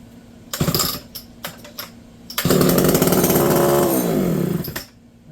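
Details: Homelite Super XL chainsaw being revived, primed and started in a garage: a few pull-cord rattles, then the saw catches, buzzes up for about two seconds and sags away, firing briefly without staying running, seeming to try to run.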